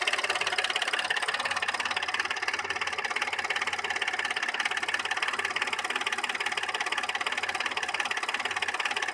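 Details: Audi A6 C6 3.2 engine: fast, fairly even tapping about three per second over a rough idle with some rattle, with a misfire and lack of power. Cause of the knock unknown.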